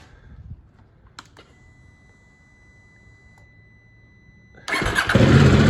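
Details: KTM 790 Adventure twin at about 31,000 km, which had been hard to start, fired up after a valve clearance check (0.12 and 0.15 mm, in spec) and reassembly: after a near-silent pause it cranks and catches straight away into a loud, even rumble.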